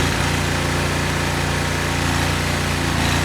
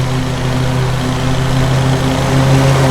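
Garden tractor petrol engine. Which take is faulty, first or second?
first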